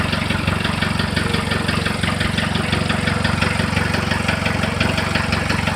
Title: Стук в двигателе. Что может быть?